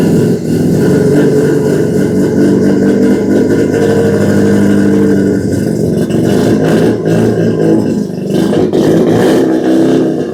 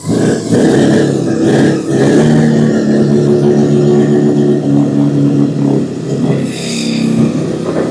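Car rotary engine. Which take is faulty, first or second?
second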